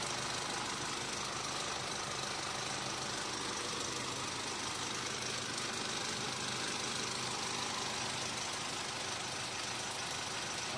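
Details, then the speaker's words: Mitsubishi Montero Sport diesel idling after fitting a new genuine air filter element: even diesel clatter, steady speed, no misses, surging or odd knocks; no problem found. "Ayos guys, wala tayong problema."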